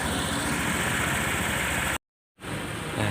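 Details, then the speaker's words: Honda PCX150 after top-end rebuild (damaged valves had harmed cylinder, piston, rings; lash intake 0.10, exhaust 0.18): formerly hard-starting, stalling when slowing, needing throttle held. Now a smooth idle with a steady light patter, no ticking or hunting. "ปล่อยเบรกเลยครับเสียงเงียบๆนะครับเงียบๆเลยไม่ต้องเร่งด้วยนะครับนิ่มๆเลยนะนิ่มๆเลย"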